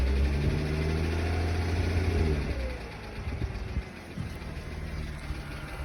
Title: B8 S4 Loud ticking noise idle